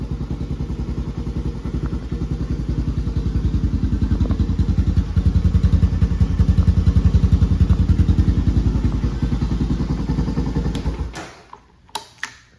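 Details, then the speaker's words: Honda TRX 250X quad on its stock OEM exhaust (called restrictive), before the HMF exhaust install. Even single-cylinder thump about two to three beats a second, steady and clean, then the engine is shut off; healthy exhaust note. "So it actually doesn't sound horrible, but I'm excited to open this up, put it on, and hear what the new one sounds like."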